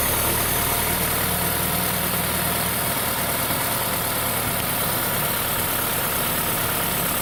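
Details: VW Golf 6 TSI at warm-up idle, filmed under the bonnet: uneven, lumpy low throb under a steady hiss, engine shaking with vibration felt through the car for about 30 seconds; rough idle, owner suspects misfire, cause unconfirmed.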